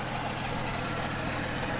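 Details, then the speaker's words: 2008 Chevy Trailblazer at idle, squealing/chirping noise from front of engine: steady high-pitched squeal constant with engine speed; belt spray stops it briefly, pointing to serpentine belt (tensioner or pulley also considered); fixed by replacing drive belt. "But again, it's got this noise from the front. Now, we all know what that noise is. It could be either a belt tensioner, a pulley, or the actual belt."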